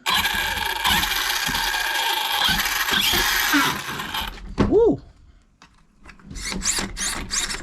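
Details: New Arrma Big Rock 6S RC truck, brushless motor, factory check before first bash; brief clean whine sweeping up and down with no grinding or rattle, motor spins freely and healthy.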